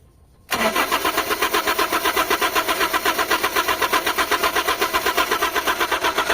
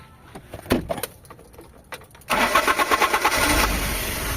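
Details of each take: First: Carbureted Toyota HiAce van with hard starting, first start after carburetor cleaning. Steady rhythmic starter churning at about four beats a second, cranking on without catching cleanly; extended cranking. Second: Carbureted Toyota HiAce van with cold-morning hard starting, after carburetor cleaning and tuning plus distributor timing: a few light clicks, then it catches promptly into a steady even idle; normal start.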